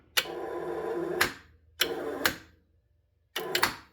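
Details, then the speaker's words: 2012 Honda Civic starter test: three short bursts of high whirring that spin up and stop with no load, the internal rotor spinning without the drive gear engaging. The starter is bad. "It's not even spinning the gear anymore. It was just the uh the the rotor over there on the inside just spinning. Something is uh released there."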